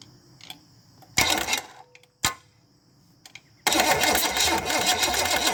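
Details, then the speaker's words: Chevy small-block 305 V8 bought as an unknown runner, float bowls filled: starter spins the engine in short bursts, then a long steady crank, but it never fires; crank, no start. "you know that's just the starter making that noise i think okay"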